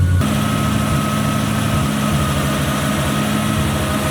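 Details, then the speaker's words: 1UZ-FE V8 swapped Mazda RX-7 FC after hardwiring fuel pump to battery (pump power cut while cranking): starts easily, steady even idle with smooth low burble, no misses or knocking, clean shutoff; normal idle. "There we go. V8 is sorted. Actually starts up real nicely now."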